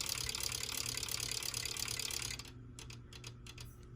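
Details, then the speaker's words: Westinghouse Origami ceiling fan running: quick, regular light ticking at about three clicks per second, worse when the pull chain is held down, from loose wires striking the motor; repositioning the wires fixed it. "oh i see what it is the wires are hitting the motor all right that's solved that sound wasn't normal i didn't know that was the wire causing that"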